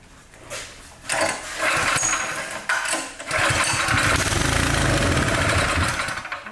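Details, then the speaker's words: Cub Cadet engine: with starting fluid sprayed in, it catches, runs roughly a few seconds, then stumbles and dies. Compression test to follow. "show you that it runs and dies."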